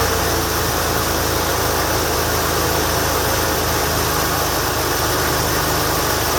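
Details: 1989 Lincoln Town Car freezing cold start: steady V8 idle with raspy, hissy puffing from an exhaust leak.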